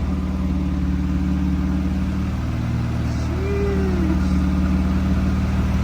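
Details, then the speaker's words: Honda Civic EG hatch with freshly swapped B18 engine idling in the shop after start-up, new oil pan gasket fitted; steady, even low hum with a smooth regular beat and no knocks or squeals, a healthy idle. "Yes, sir. Sheesh. Sounds so good."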